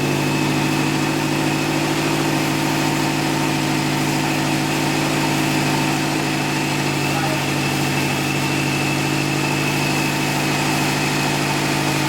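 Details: Subaru STi boxer turbo engine on second start after engine replacement; steady even idle, smooth low hum, no knocks or misses, oil pressure and coolant fine; new parts smoking off; normal healthy idle.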